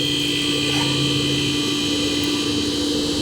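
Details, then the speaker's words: Refrigerator not cooling, compressor not turning on, after replacing the compressor start relay: compressor starts immediately and holds an even steady hum without clicking off; compressor and capacitor were fine, running normally. "and the compressed compressor started right up okay so i think i fixed it immediately started up the compressor"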